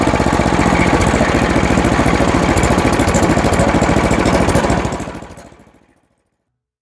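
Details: Toro Power Max 828LE snow blower, 8 hp Tecumseh engine, long unused and not running, after fitting an aftermarket Amazon replacement carburetor and adjusting the main jet: runs nice and smooth at steady full-throttle RPM, then winds down cleanly at shutdown; normal running.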